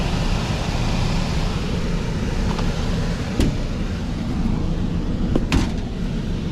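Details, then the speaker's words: HVAC blower motor found during preventive maintenance runs with heavy, uneven low rumble and stray clicks from worn, moving bearings; drawing 2.84 amps, near its 2.9 amp limit; motor needed replacement. "but y'all saw that well y'all could hear that the bearings were moving"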